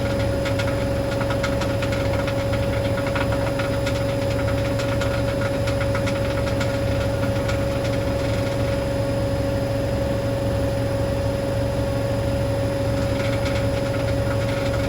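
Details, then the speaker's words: Hoover DynamicNext DXOA410C3 10 kg, 1400 rpm washing machine, reported loud on spin: a fast spin with motor whine and uneven metallic rattle. Cause believed to be a £1 coin trapped under the heating element. "sounds like something stuck in the drum um that's going to be fun trying to get that out then unless it was s in the filter I don't know"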